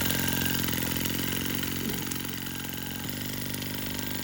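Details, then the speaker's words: Sterlingkit model live steam engine and boiler kit, newly assembled and lubricated, first run: quick, fairly regular chuffing at about three to four beats per second over a steady hiss; pressure gauge seeping slightly; runs smoothly. "This thing is running really nicely and everything seemed to be going perfectly."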